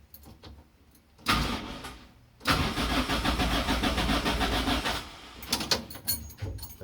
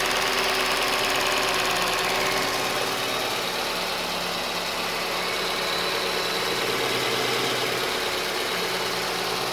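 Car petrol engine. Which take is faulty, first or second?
first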